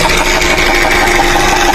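Idling petrol engine with a steady whirring whine over its even hum, coming from the oil pump.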